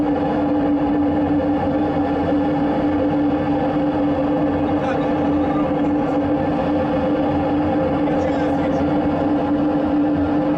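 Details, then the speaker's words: Soviet artillery tractor in frost, pre-start heater with glow plug on after the closed fuel tap was opened: steady, even burner roar with constant hum, no sputtering or popping; heater running normally. "Я думаю, сейчас запустим. Ждем 1,5 минуты. Свеча уже включена."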